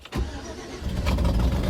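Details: 2007-and-up Chevy Silverado/GMC Sierra after fixing a no-crank no-start by repairing a ground connection: short crank that catches almost instantly, then a steady low idle rumble; normal engine start.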